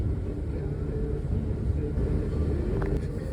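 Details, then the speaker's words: 2005 Subaru Impreza with a previously melted bulkhead harness and electrical faults, after a long crank, idles rough with a low lumpy misfire beat; testing shows low compression in one cylinder. "I started it up and it does sound it starts up has a long crank and then it uh you can hear it misfiring like like almost sounds like a"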